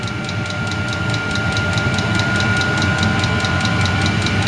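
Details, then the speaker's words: Chinese 8 kW diesel air heater bought on eBay, powered from a spare car battery, spinning up to full output: steady fan rush with a crisp, even fuel pump tick about three times a second; normal running at full output. "starting to really spin up now here and the pump's going faster"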